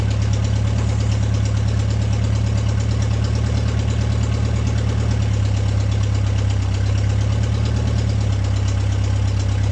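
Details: Deep, steady, even idle with no knocks or misses from an MG pulled from the woods, at its first start in 22 years; it starts and idles cleanly without choke.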